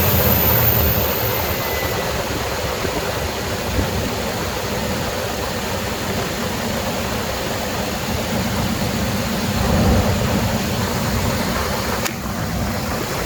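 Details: 1997 Jeep Grand Cherokee ZJ 5.2L V8 just after installing a billet power steering pump bracket; steady, even idle under background hiss, no knocks, squeals or belt chirp from the pump pulley.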